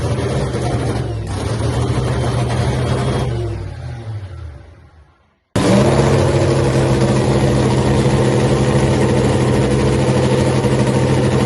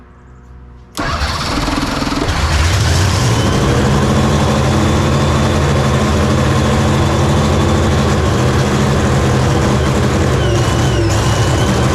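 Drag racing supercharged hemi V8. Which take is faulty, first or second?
second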